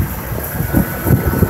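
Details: 1995 Ford F-250 after a no-spark fault was fixed by replacing the ignition coil, plus a new cap and rotor: low, even idle rumble with no misses or knocks, idling smoothly.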